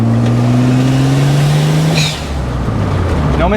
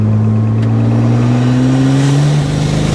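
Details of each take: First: BMW E30 with a swapped-in used N54 turbo engine, on its first drive after fixing a high-boost misfire, pulling up a hill in fourth gear around 35 mph: a steady rising drone with an even beat and no stumble; smooth acceleration, no misfire. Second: BMW N54 turbo swap in an E30, with replaced turbos: pulls hard in low gear at high boost, then stumbles and loses drive as cylinder 3 misfires again; coils, plug gap or injectors suspected.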